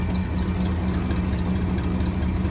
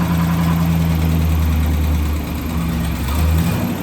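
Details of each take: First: 1963 AMC 287 V8 (Rambler wagon) heard through a stethoscope on the water pump: steady, even low hum with no knocking or grinding. Water pump, alternator and power steering pump are all smooth; the valve-train squeak comes from the left-bank rocker shaft. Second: 1963 AMC 287 V8 in a Rambler wagon, started after sitting a long time: rough, lumpy idle with fast uneven clatter and squeak from the left-bank rocker shaft, starved of oil by mixed-up rocker shaft bolts after valve stem seal work.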